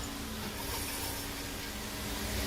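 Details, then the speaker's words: 2020 Dodge Charger: rough steady scraping, crunching and grinding from one rear wheel, heard on one side only. The wheel felt hard to turn; the brake hardware kit inside is suspected to have come apart, possibly not the differential. "I see I can hear stuff grinding. Let's see. Do I hear it on this side? No. Everything I'm hearing is over here, guys."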